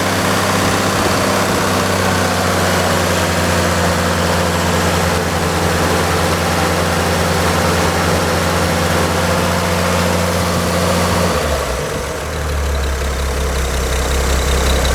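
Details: Carbureted engine, warm after about 11 minutes of running: steady, even idle for about eleven seconds, then a clean rise in revs with a smooth pull and no misses or knocks; normal revving.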